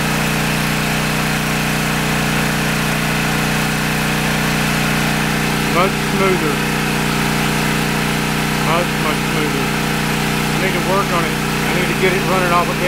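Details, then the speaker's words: Briggs & Stratton 8 kW tri-fuel generator running on propane under heavy load starting an AC unit: steady even drone holding one pitch, no surging or misfires; smooth running under load. "as smooth as it does on propane"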